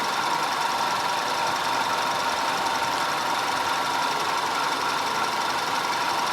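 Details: 2010 Audi A5 2.0 TFSI Cabriolet after fixing a random misfire and a constant cylinder 4 misfire (P0300, P0304, P130A): even, steady idle with a smooth hum and no stumbles; running cleanly on all cylinders.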